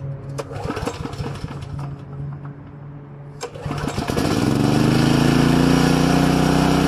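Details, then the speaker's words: Small pull-start engine (coil pack and carburetor) started after repairing its pull cord: a few pull-cord clacks, then it catches at about four seconds and settles into a steady, even run, starting cleanly. "So let's see if I had any luck with this repair, and let y'all watch me crank it for the first time today after repairing the pull cord."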